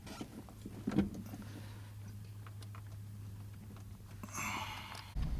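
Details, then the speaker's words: Car with an automatic started in park, idling at roughly 150 revs by estimate: very soft, steady low hum, barely audible, no misses or knocks; a smooth, slow normal idle. "So we'll do that now, and the engine is running and you can't hear it. It's oops. It idles on very, very low"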